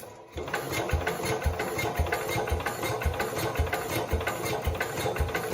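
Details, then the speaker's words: 1969 Cub Cadet 105, reassembled engine with past ignition problems, choked: steady cranking with a brief catch but no sustained firing; crank, no start. Owner suspects the crankshaft or camshaft, or too little fuel; the plug was dry. "I'm not sure if you guys heard it but I heard it so it did try to Fire Let's unchoke it"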